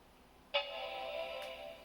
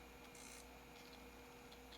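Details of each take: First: Macintosh PowerBook 180c at power-on, tested with the LCD that has a damaged cable connected: a single clean chord rings about a second and fades evenly. The startup chime and backlight are good, but that screen is confirmed dead. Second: Original hard drive in a Macintosh PowerBook 180c on first power-up after restoration: faint scratchy rasping with short high chirps and a thin whine during spin-up; rough, unhealthy-sounding start, though the drive works.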